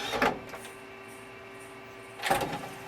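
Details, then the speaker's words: CD-ROM drive in an ATX Celeron PC with no VGA output, on eject: thin steady motor hum with clattering bursts at start and end; drive makes a weird noise, mechanism sounds rough, cause unclear. "that drive makes a weird noise."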